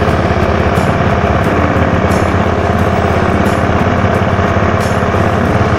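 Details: 2011 Honda Scoopy scooter, original unmodified engine, started by electric starter: quick light putter holding steady at idle with no knocks or rattles; running cleanly.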